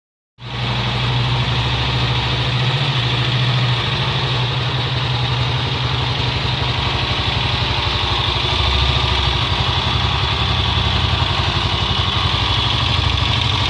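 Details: Honda XLR single-cylinder motorcycle at idle: steady beat with an uneven, rattly clatter riding on it; strange engine noise, cause not pinned down.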